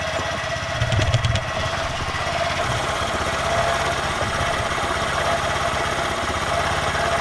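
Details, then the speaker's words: Honda Grom single-cylinder engine first start after rebuild with new piston, head, cylinder and high-flow oil pump, exhaust refitted: quick, even putter at idle with no knocking, steady beat, sounds really good; normal idle. "now sounds quite sounds really good"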